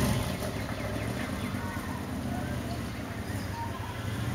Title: Honda CX500 1981 model, motor running rough